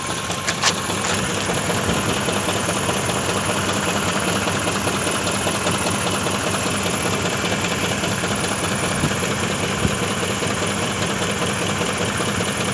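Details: BMW engine at idle: rough, uneven tapping of about two to three knocks per second over the idle, an internal engine knock.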